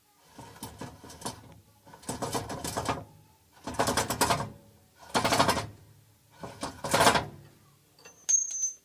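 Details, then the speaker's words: Ford Model A old rear differential, axle turned by spanner, phone microphone placed in the diff: slow rasping gritty grinds in bursts, hard to turn; differential appears worn and unhealthy, being replaced with a better used diff, cause not confirmed. "I've got a spanner on the axle and she's quite quite hard to turn but if I'll stick my phone in here and see if we can hear"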